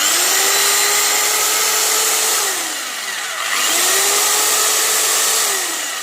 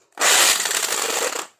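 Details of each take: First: Electric drill after repair, with the ball refitted, balance corrected and cover reassembled: it spins up twice to a smooth, steady whine and winds down cleanly. The loud internal noise is gone and it runs normally. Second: Electric drill powered on before repair: brief burst with a harsh, hissy internal rattle and no clean motor hum, and the chuck wobbles off balance.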